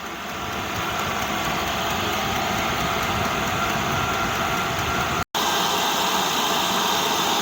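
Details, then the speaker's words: 8 kW Chinese diesel air heater in a garage, second attempt with battery charger connected: glow plugs off, 6 bars, wide open; steady, even blower and burner whoosh with no surging or sputtering; running properly at full output. "Now we're running wide open again. Glow plugs off. 6 bars on the unit. It's putting out as much heat as it can, and it's doing way better this time."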